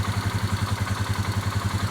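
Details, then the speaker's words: 2018 Polaris Sportsman ACE 570 single-cylinder after new timing chain and tensioner, tensioner not yet oiled, no coolant yet: steady even idle thump, no startup racket or valvetrain clatter; running quieter and healthy. "sounded good didn't make the noise and it sounds a lot quieter I think it's running pretty"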